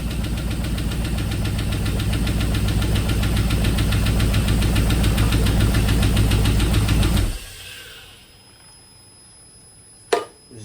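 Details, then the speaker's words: 2002 GM 5.3 V8 on engine stand with aftermarket wiring harness, first start: fast uneven chugging about 3.5 beats per second for seven seconds with a pop, then cuts out, zero oil pressure; some injector adapters possibly unseated, cause unconfirmed. "zero oil pressure all right so that was not good not good at all SC scared the crap out of me when that thing popped like that uh didn't sound good"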